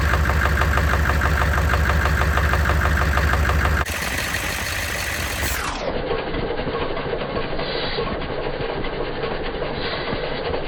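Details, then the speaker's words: 6.5L Chevy diesel after replacing a bent pushrod suspected of causing knocking and popping, with batteries recharged: steady, even diesel clatter at idle with no knocking or popping. Normal idle. "so there you have it I guess it was the push route after all I got a new one put in there"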